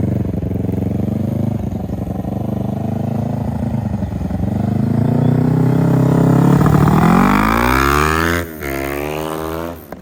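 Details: 2003 Kawasaki Ninja 500R twin in a mini bike, dual carbs, warmed up on a test ride (second gear, about 40 mph): revs climb under load, then a brief crackle on closing throttle; backfiring, owner suspects lean mid-range, may recenter the needle.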